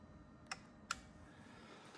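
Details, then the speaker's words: Trekure TK50 jump starter (3500A, 16800mAh) clamped to a car battery, before pressing boost: two sharp dry clicks about half a second apart from the pack, not the car; jump starter relay clicking. "I'm going to see it is clicking away. Can you hear it clicking? So, it's not not the car, the battery pack is clicking away."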